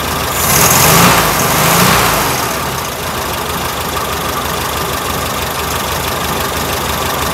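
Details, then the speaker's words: 1967 VW Karmann Ghia air-cooled engine, abandoned 45 years in a barn: catches, surges twice, then settles into a lumpy, uneven idle. Owner suspects the fuel pump isn't pumping and it's running only on fuel poured into the carb bowl. "i don't think the pump's working i think we're just running off of whatever's in the carb here"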